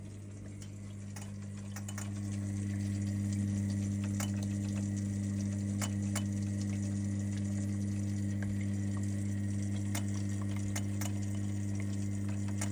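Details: Lay-Z-Spa hot tub with a constant E02 error: steady pump hum with regular clicking about four per second. A water flow switch sensor fault is suspected, fixable with a repair kit.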